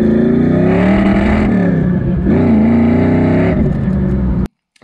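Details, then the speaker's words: SN95 V8 on road test under load: uneven stumbling note and rough clatter, engine breaking up, pinging seemingly temperature related and worsening; one bank's headers/exhaust much hotter, owner suspects lean bank or clogged injector, unconfirmed. "the only thing I can tell you know this this side feels way hotter exhaust on this side and it's kind of breaking up as uh if I kind of get into it a little bit"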